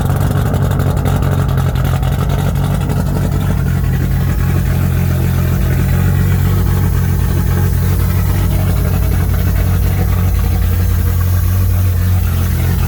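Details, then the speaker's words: R32 Skyline GTR (620+ whp) at idle: loud steady idle with a deep drone from the clutch area; owner suspects something has gone bad or a bolt has come loose; cause unconfirmed. "has gone bad, or maybe one of the bolts has come loose or something. I don't know."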